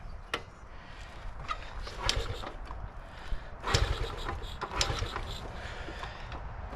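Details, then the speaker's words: 1975 Honda ST90, cold, on choke: repeated kick-start attempts with irregular thumps and occasional brief sputter, never catches; owner suspects too little fuel reaching carburetor, may need carb cleaning; cranks but won't start. "come on oh oh it's trying it's going to it's going to do it I feel it oh it's so cold blooded"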